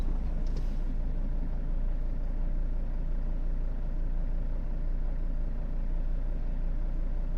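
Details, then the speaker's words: Mercedes Sprinter diesel van, partly warmed up, suspected dual-mass flywheel knock with idle hunting about 30 rpm and injection quantity drifting: with clutch depressed idle and fuel delivery stabilize to a steady drone, with slight drift; flywheel suspected, not confirmed. "Теперь смотрите выжимаю сцепление звук сих холостой подачи стабилизировалась отпускаю снова мотор стал работать Ровно видите на 30 оборотов гуляет"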